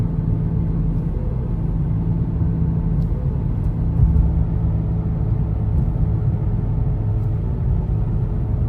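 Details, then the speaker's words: 2007 Honda Civic: a deep, steady rumbling growl while driving that speeds up with vehicle speed and changes as steering shifts the load. It comes from a worn front wheel bearing and needed bearing replacement. "signs of a bad wheel bearing normally presents itself with a grinding noise the grinding sound will speed up the faster the vehicle goes"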